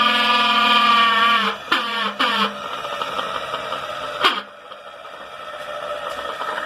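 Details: Electric motor that runs normally at first but gets noisy after about 5–10 minutes once warm; buzzy hum that sags and breaks up, with sharp knocks from inside the cover; a retaining clip appears to be missing; abnormal noise.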